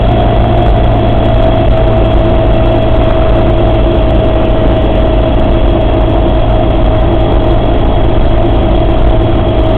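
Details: Suzuki Samurai idling with a constant mid-pitched whine riding over the steady engine; strange noise from the transfer case, cause not identified.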